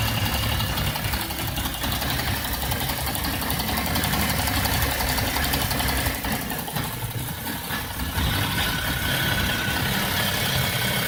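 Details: BMW E60 idling after a vacuum pump replacement: idle randomly goes uneven, with rpm dipping and surging and a loose irregular beat; rough idle with hunting rpm.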